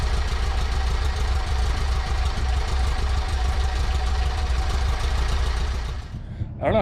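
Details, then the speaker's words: VW Baja 2054cc engine at idle after fitting a Thrush turbo muffler with mandrel-bent tubing to the loud Tri-Mil Sidewinder exhaust; steady low muted rumble, no knocks or rattles, by ear cut about two-thirds, decent tone — normal idle. "but I can tell you by ear, oh, that's cut down 2/3. It still seems to have a decent tone."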